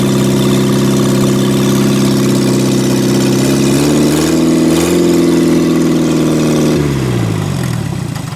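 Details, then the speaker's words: 1963 Mini Cooper, engine claimed to be a built racing engine, first start after reconnecting the coil, run briefly with no coolant: fires and runs smoothly at steady pitch, brief rev, settles with no knocking; healthy running. "Sounds good. Man, that's nice. And I just have everything, I don't have any coolant in it, so I didn't want to let it run too long."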